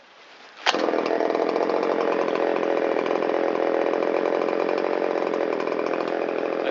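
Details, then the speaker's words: Shindaiwa 360 chainsaw, long-stored, Walbro WT-89 carburetor, reassembled with metal-screen air filter and cover, ignition on, choke in: fires on the first pull, then a smooth, even buzzing idle that settles back nicely. Normal start and idle. "And we'll check the response off of idle. Settles right back down to idle nicely."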